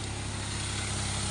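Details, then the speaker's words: After fixing a no-supply fault (owner says it only delivered when operated manually), engine now starts and runs: smooth, even, very quiet idle with a steady low hum, no knocks, ticks or rattles; normal. "Tahimik na tahimik ang makina. Yan, naandar na yan. Andar na siya."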